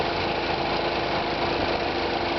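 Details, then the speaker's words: High-mileage Sundance at idle whose transmission overheated and lost power: rough, uneven rumble and chatter, steady throughout; transmission suspected, not confirmed. "just kind of hear like a chattering noise and it's coming from the transmission kind of hear it rumbling right now it doesn't really sound good at all"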